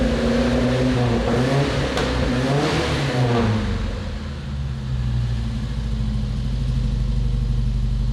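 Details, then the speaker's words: Volvo 145 carburetted four after new fuel pump fitted, fuel pressure fine: revs up with a wavering, uneven note and stumbles back toward idle; idle mixture far too lean, air-fuel ratio okay near 3000 rpm; lean idle misfire, needs tuning. "okay you can hear the kick up so it's it's because it's too lean"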